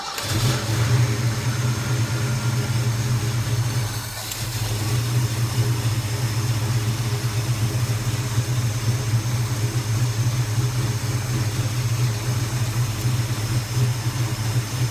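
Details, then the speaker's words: Engine fitted with a freshly rebuilt Holley four-barrel carburetor, idle mixture screws at one and a half turns, started dead cold on full choke after a couple of throttle pumps: it catches quickly into a steady, clean fast idle. "so we're gonna start it up motor's dead cold all right so what i like doing is i'd rather have the choke on just like that pump it a couple of times right get some fuel in it like that start it up"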